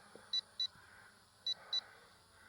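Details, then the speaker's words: LSRC KS66 brushless drone at the end of a flight: rapid paired high beeps over faint motor hum, the low-battery alarm signalling the end of flight time. "oh there we go and that'll be the end of the flight rapid beeping and that's it so that's the flight time you get out of it"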